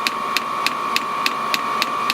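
Crisp, evenly spaced ticks about three per second over a steady fan hum; the heater's dosing pump ticking normally at startup.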